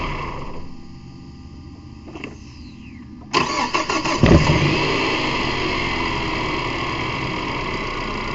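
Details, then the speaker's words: 2006 Mazda 3, head gasket blown between cylinders, low compression in cylinder one; cranks with uneven lopsided beats, then catches into a slightly rough idle. "Not sure I would have showed up, but you can hear an obvious drop in the cylinder pressure. But I mean, from experience, I mean that's what you'd be able to hear if there's a cylinder low on pressure. It wouldn't sound flush."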